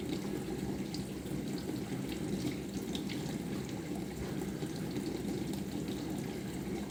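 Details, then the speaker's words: Bosch SMV50E10RU/D5 Type SD6P1B dishwasher, brought in for humming and not starting, test run on short program, before repair: pause after fill, then recirculation pump starts; soft steady hum under constant spraying water, no knocking or grinding; normal recirculation pump operation. "три пробы должны быть запуска после этого начнет заливать посмотрим еще недостаточно предлагает заливать пауза и пошла рециркуляцию"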